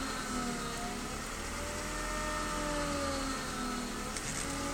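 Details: BMW E36 320i with a new MAPCO power steering pump; thin high whine over idle rising in pitch as the wheel is turned, persisting despite several fluid changes.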